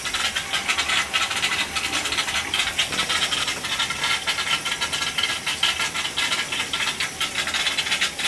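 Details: Gas boiler hydronic heating loop with cast iron baseboard, after pinhole leak repair and bad expansion tank: steady airy hiss with irregular light rattling in the pipes, no motor; trapped air being purged from the loop.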